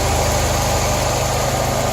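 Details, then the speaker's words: 1993-97 Toyota Corolla/Geo Prizm at idle after radiator replacement while bleeding coolant: even low pulse with harsh overlying whirr; sounded awful, owner suspects water pump, unconfirmed. "right that sounded awful"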